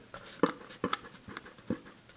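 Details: Blown HDC3 12-inch subwoofer needing recone: short dry coughing scrapes each time the cone is pushed, because the cone has separated from the spider, which no longer moves with it; a healthy sub gives a deep solid tap instead.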